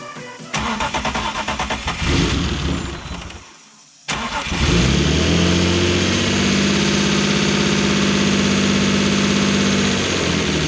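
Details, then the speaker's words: BMW E36 with a turbo M52 on E85, at first start after lifter replacement following a suspected stuck lifter: cranks, catches and idles with quick, even ticking from used lifters that sat dry for years and are still pumping up. "a couple of these lifters are pretty loud right now but that's kind of what I would expect because you know they were sitting out in that truck for years with no oil in them"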